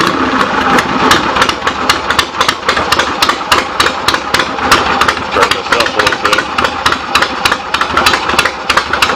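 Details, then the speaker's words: 1975 Harley XLH Ironhead Sportster V-twin after fixes and new intake gaskets, just started cold on the enricher: loose lumpy idle, sharp fairly even beats about three per second, no knocking; runs good with good compression, carb needs slight adjustment. "runs good got real good compression if I can burn that enricher off all the way and give a little gas still not quite warmed up"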